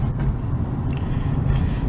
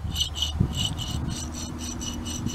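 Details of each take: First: Dodge Avenger driving after the faulty right-side wheel hub was replaced: a steady low road rumble with no growl or hum building with speed; the hub noise is fixed. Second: Dodge Avenger, old passenger-side wheel hub bearing removed and spun by hand: a dry, gritty rasp that coasts down unevenly. This worn bearing was the source of the noise.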